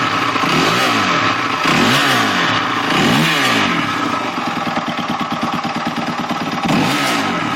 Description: During ride yesterday it just started making this crazy noise in the mid range any ideas.....